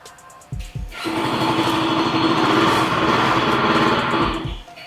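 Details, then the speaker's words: SYM Husky 150 scooter at 32,000 mileage, test run to check the rear pulley: a couple of clunks, then a rough, fast rattling churn at steady revs; the noise is not from the rear pulley, and the mechanic suspects a broken crankshaft bearing. "Seram bunyi dia. So bukan pakai puli belakang punca dia. Kita buka puli depan lah semua. Aku suspect motor ni bearing crankshaft dia pecah."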